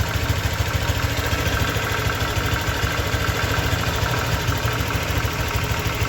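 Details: 2023 Honda Vario 125 new single-cylinder scooter at just over 1,000 km, idling: even, steady soft low hum, no knocks or ticks; owner reckons it runs smoother than at 500 km, crediting correct break-in. Normal idle.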